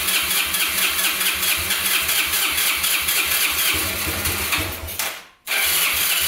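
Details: Abandoned Yamaha Breeze ATV on a cold day, started with gas poured into the carburetor and the air filter off: it catches and revs with an uneven, hunting beat, then sags and nearly dies. It will not hold idle; owner suspects spark plug, missing air filter, choke or air leak.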